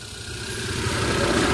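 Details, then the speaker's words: Hyundai i10 1.1 petrol, after camshaft replacement and tappet adjustment done cold, battery slightly low, not yet road tested; smooth, even idle building slightly in level, no tapping from top end; earlier tappet noise solved, valvetrain quiet and healthy. "गाड़ी से अभी जो पहले इंजन से टैपेट से नॉइज आ रहा था वो प्रॉब्लम नहीं है,"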